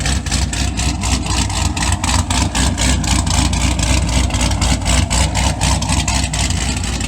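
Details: Supercharged C6 Corvette V8, first fire-up after piston replacement and new heads, idling while warming up: a smooth, even lope with no knocks, ticks or blower whine. Quiet under the hood, exhaust loud at the rear; it still needs a tune.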